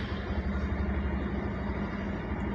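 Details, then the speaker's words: Bajaj Pulsar 150 BS6 fuel-injected single, 2215 km: idle soft and uneven, steadily dropping until the engine stalls; reaches about 2000 rpm then slows and dies, no pickup; later traced to a non-working MAP sensor. "ஐட்லிங்கும் பார்த்திங்கன்னா ஒரு நார்மலாக இல்லை, அப்படியே குறைஞ்சிட்டே வருது பாருங்கள். அவ்வளோதான், of ஆகிடுச்சு."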